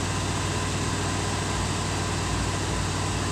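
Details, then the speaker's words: 1987 Jeep J-20, AMC 360 V8, cold idle, test gauge at port behind oil filter: even, deep rumble, steady beat, no ticking or knocking; 65 psi cold, dash gauge was reading low; normal. "Well, look at that. 65 pounds of pressure at a cold start. My oil pressure gauge said 40 pounds, going up to 50. My gauge was a liar."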